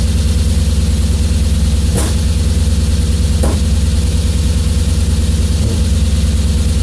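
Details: Warm BMW S50 engine idling with a steady low rumble that stumbles and drops a beat every second or two; misfire at idle.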